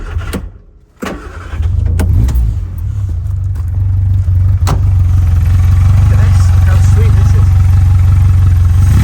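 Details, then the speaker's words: Five-bearing Imp engine on Stromberg carburettors, plugs checked with good colour, still on running-in oil. Starts after a couple of cranks and settles into a smooth, even low idle with no stumble; runs clean. "She's a lovely little thing. In fact, if you want to hear it. I'm so impressed with these Strombergs."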